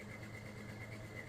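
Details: 1996 Ford F-150, engine reportedly rebuilt ~30,000 miles ago, recorded at exhaust pipe: low idle with recurring dropout in exhaust pulse, no smoke; audible miss, compression test poor, suspected dead low-compression cylinder.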